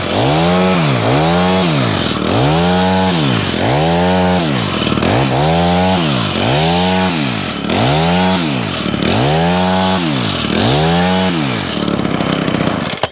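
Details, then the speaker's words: Honda HHH25 two-stroke hedge trimmer after a carburetor replacement and idle adjustment: revs up and drops back in regular blips about every 1.5 seconds, picking up cleanly and more responsive, running healthy. "The idling's better. Seems to be running okay. It's idling at a good speed as well now."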